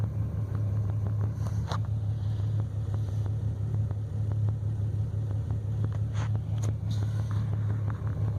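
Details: BMW 335i with new spark plugs and coils and remanufactured injectors, right after start-up: low droning idle with an uneven, lumpy beat and scattered sharp ticks; cold-start misfire, cylinder 5, sometimes cylinder 2.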